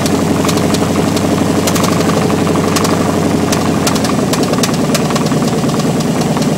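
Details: 305 TPI LB9 V8 running with no exhaust, open manifolds: loud raw exhaust roar cut by sharp metallic knocks; rod knock.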